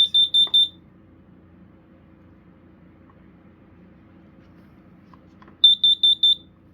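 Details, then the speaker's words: USI CD-9390 hardwired carbon monoxide alarm sounds four quick, loud high-pitched beeps, about a five-second pause, then four more, its normal temporal-4 alarm pattern with no fault. "interestingly enough it has a steady or no it doesn't no no fault it works it just does your regular 44 coding"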